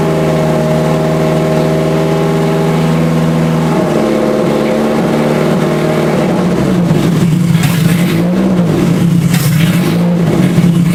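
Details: Scion FR-S with a rebuilt 3SGE engine swap on a new tune: crisp, clean rise and fall in revs with a steady, even note and no knocks or misfires; a healthy engine pulling freely.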